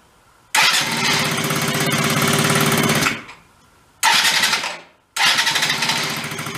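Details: Benelli Andretti M50 scooter, 500 miles, long stored, exhaust refitted: engine catches and buzzes a couple of seconds then dies, restarts and fades, won't hold revs or take throttle.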